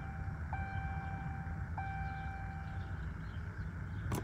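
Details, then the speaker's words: 2019 Ram 1500 Limited, high mileage, charged battery and working electronics: fuel pump whines while priming, then only a faint clack and no cranking; owner suspects the starter. "nothing at this point I don't know what it could really be outside of starter"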